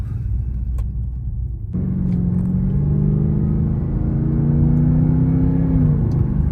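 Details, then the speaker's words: Cadillac STS after replacing factory-original spark plugs and coil packs: smooth engine note rising steadily in pitch under acceleration, even pull with no skips; no misfire, normal acceleration. "Damn, sounds way better. Like before, I mean, she always sounded good. Let me be clear, right? She always sounded good. But now, like, there's no missing, there's no nothing."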